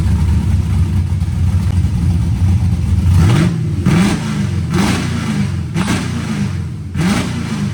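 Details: LS-swapped Mustang drift car with newly finished welded exhaust and turndowns, possible V-band clamp leak: deep, loud V8 burble rising and falling with throttle blips; even firing, no rattles or leaks standing out.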